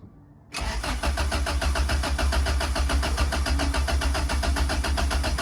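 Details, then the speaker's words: Turbo B20 in a 1995 Honda Civic, first turbo start attempt after priming: starter churns steadily at three to four pulses a second for five seconds but never catches; crank no start, second attempt then started. "good guys attempt number one is a fail time number two let's see"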